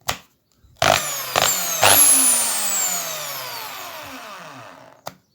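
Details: Bosch drill after cleaning, several short trigger pulls: motor whirs up to a high, even pitch and coasts down smoothly with no grinding; owner thinks it was just dirty; runs normally.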